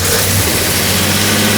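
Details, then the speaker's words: Jaguar XJ Coupe after cylinder head rebuild, cold, running on a known-good AED cold-start enrichment carb borrowed from owner's daily car; catches and runs unevenly briefly then dies, smoky, needle drop gives enrichment only during cranking: fires then stalls, lean. "it's basically like an um uh accelerator pump and so that's why it fires up right away and then dies"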